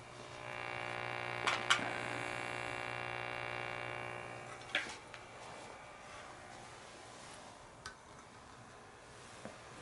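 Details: Hughes & Kettner Matrix 100 amp head from a music store, first power-on into test speaker: steady low mains buzz with rough edge, fading after seconds, odd clicks; dried-out power supply filter capacitors.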